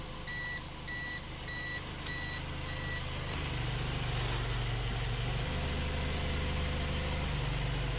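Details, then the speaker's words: 2017 Toyota C-HR with a new SkyBrake contactless immobilizer with motion sensor, idling, tag battery removed: clear high beeps about twice per second, then stop. It is the warning that the tag is not read, and the engine will be blocked once the car starts moving. "Maintenant, les signaux ont changé. antidémarrage dit cette étiquette nous ne lisons pas, et après qu'il maintenant peut éteindre le moteur, si l'on commence à se déplacer en voiture."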